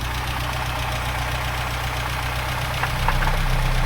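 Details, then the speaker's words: 1988 Conquest TSi parts car, long stored in a barn, smoking at idle: regular knock about four times a second over the idle. Owner suspects worn rod bearings and possibly piston rings. "oh yeah she's knocking good huh so to me that sounds like rod bearings if I'm not mistaken"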